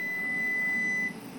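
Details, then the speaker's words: Brand-new EASUN iSolar SMV 8kW inverter with grid wired but off: output dropping to 40 Hz, relay clicking, steady high beep then abrupt cutoff as output cycles every few seconds; suspected syncing to itself, unconfirmed. "I think it's synchronizing to itself and constantly switching on and off."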